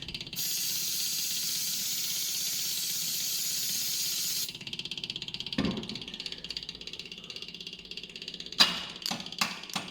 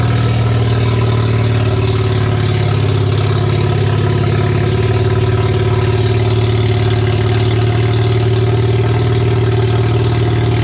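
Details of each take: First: Barn-find Mazda RX7 12A rotary on a test start, fed 5 L premium with 50 ml two-stroke oil via fuel pump to a full carb: light rapid ticking then loose clunks as the starter motor cuts out intermittently and the engine won't run; carb suspected. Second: Barn-find Mazda RX7 12A rotary on first startup after years sitting, carb needles and seats suspected of flooding: steady, even, deep burble at constant idle with no misses, running until it apparently ran out of fuel; normal rotary idle.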